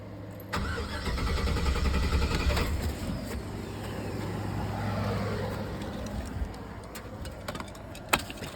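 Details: 2004 Chevy Silverado that misfired, shuddered and shut off for two weeks now cranks without starting; it ran on starting fluid sprayed into the intake, and replacing the MAP sensor fixed it; starter churns steadily but the engine never fires.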